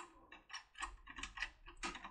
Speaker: this is where clicking clicks happen you can hear I've mentioned and this clicking means that it hits a household